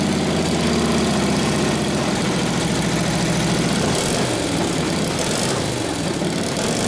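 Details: Rebuilt Harley 45ci WL flathead V-twin bobber with a new muffler idles while warming up; an even, loping beat of about three firings a second with a clean low exhaust note, idling normally; it spits flame when revved.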